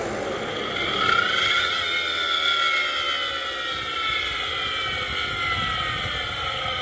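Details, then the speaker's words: 2006 Toyota Avalon XLS, engine revved then key turned off: a whining roar keeps sliding down in pitch as things coast to a stop at the front of engine; alternator suspected, fan clutch or AC compressor initially considered. "my son is going to rev the car up and just turn the key off and you'll hear it"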